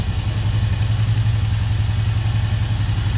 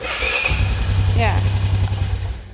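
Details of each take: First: Honda 500 ATV with a sticking carburetor throttle: it revs and holds high instead of settling back to idle, with a lumpy pulsing drone before cutting off. The throttle sometimes sticks and gets away; a new carburetor is needed. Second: Honda 500 ATV restarting on a low, charging battery; a brief starter whir, then it catches cleanly and settles into a firm, steady low idle, a normal healthy start.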